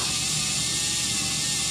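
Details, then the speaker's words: Brushless motor on a SkyRC analyzer (2-pole setting), revved up to about half throttle: a harsh, hissy, high whir with a wavering pitch and jumping RPM readings. The motor's bearing is failing. "Can you hear that already? How poor that sounds? And look at the RPMs, how much they're jumping."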